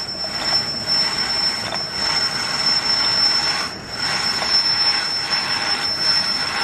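Light steady cutting hiss that swells and eases with each treadle stroke, with no chatter or knocking; the lathe is cutting cleanly and running well.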